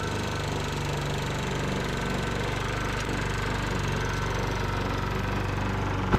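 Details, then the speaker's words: Sears Eager One lawnmower, Tecumseh single-cylinder, after makeshift connecting-rod knock repair with beer-can metal, throttle halfway: steady even running with no heavy bottom-end knock, then cuts off cleanly as gas is turned off; normal running. "Sounds like we got rid of that knock."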